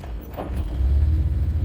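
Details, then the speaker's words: Car that stalled when the throttle was released, after repair, revved without touching the gas: picks up smoothly and holds a steady deep rumble with no stumble or stall; normal rev response. "Again, how's that? Let's check the front. Steady as a rock. That's normal, right?"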